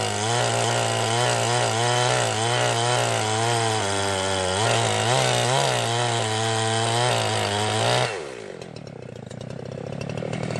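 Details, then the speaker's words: Freshly refurbished Jonsered 2071 chainsaw on its first cuts, full tank; steady high-rev howl under cut collapses and fades unevenly when run upside down, sounding like fuel starvation; owner thinks it ran fairly rich. "it sounded like it was running out of fuel toward the end there when I was trying to run it upside down"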